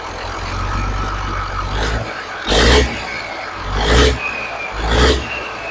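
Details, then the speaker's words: 1983 Kenworth cabover with Caterpillar diesel after setting timing and valve overhead; started instantly after batteries ran dead, owner thinks it may be running out of fuel; steady even lope with throttle blips, no knocks or misses, sounds fixed. "But it sounds like maybe I fixed it. I mean, it sounds pretty good, doesn't it?"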